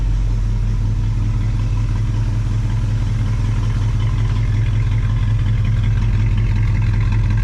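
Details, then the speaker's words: Cadillac 390 V8 with glitter in oil, after swapping 4GC carb to Edelbrock: deep steady idle, no knocks or misses; slight blow-by and audible exhaust leak; oil pressure about 20 psi; sounds good overall. "but really all things considered it sounds pretty good"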